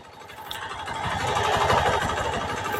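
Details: Honda Beat FI K44 second generation: uneven rattling clatter on engine that grows louder as revs climb, following RPM unlike CVT noise; mechanic diagnoses a worn piston.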